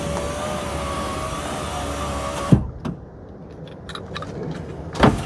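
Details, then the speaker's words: Ram Promaster after window regulator replacement: steady motor hum as glass drives down on one-touch, light tap at bottom (plastic or track touching); window works normally. "I'm going to hold it. Oh, one touch down is already working."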